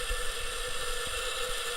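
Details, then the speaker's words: Failed Western Digital Green WD10EADS 1TB drive from a My Book external enclosure after about 7–8 years power-on time: steady high whine with low rumble; noisy drive, owner suspects the spindle motor rather than head contact. "she's a noisy one hopefully that doesn't mess up my own my audio recorder"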